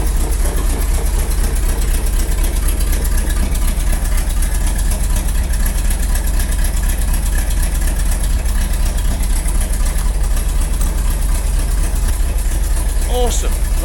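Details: Rolls-Royce B-series 5.6 L straight-eight in a Saladin armoured scout car, -6 °C workshop, after work on a misfire: steady, even idle at about four beats a second with no misses or knocks; healthy after the repair.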